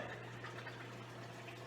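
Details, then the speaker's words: Giles GEF fryer filter pump after clearing and recoupling: a steady low motor hum with liquid gurgling as oil returns to the fry pot. The pump is working normally. "let's see if we've got success coupled up ah sounds sounds like magic"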